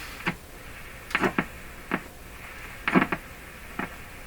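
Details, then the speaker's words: Hallicrafters S-40A shortwave receiver during Band 4 RF alignment: irregular sharp clicks, some in pairs, over quiet hiss; attributed to the signal generator jumping around at high frequencies, cause not confirmed. "Now the clicking and all that stuff, that's my signal generator jumping around because something's going on with it, these high frequencies."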